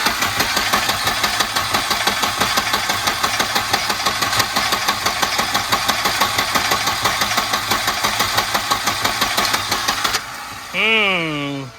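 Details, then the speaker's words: Long-stored red Volvo 240 turbo just started: uneven, lumpy idle with sharp irregular pops several a second and a brief rising whistle near the end; running rough, owner thinks it seems a little rich. "Interesting. I mean, it's running. It counts, right? Seems a little rich."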